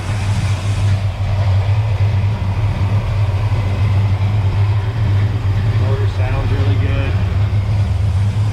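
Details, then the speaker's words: 1969 Dodge Coronet 500 with numbers-matching 383 V8 and 4-speed manual, hood open: deep, even idle with a steady low rumble and no ticks or knocks; not making any noise; normal idle. "i'll open the hood let you hear it idle it's not making any noise or anything"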